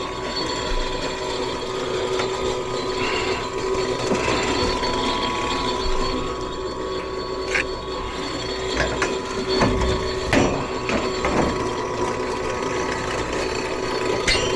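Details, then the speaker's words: Furnace draft inducer motor on a no-heat call: rough, rattly hum with steady drone and uneven knocking, like a diesel; failing inducer, wheel probably damaged. "well boys I think we we all know what the sound of that is sounds like an inducer"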